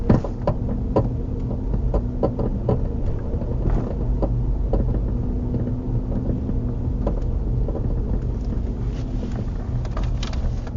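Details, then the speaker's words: Nissan Murano driving at low speed, heard from a mic in the rear and louder when the car is rocked: random hollow clunking and creaking over low road rumble from a worn passenger-side rear upper shock mount. "When I shake the car back and forth, you could hear it a little bit better. But it's just a little clunking, creaking sound, I should say, maybe."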